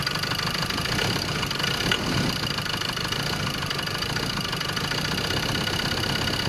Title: Ford ranger 2.2 xlt 4wheel.. Manual Transmission.. Engine knocking